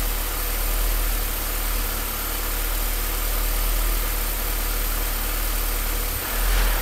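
Deep idle rumble that surges and dips every second or two, with a stumble near the end; engine idling rough.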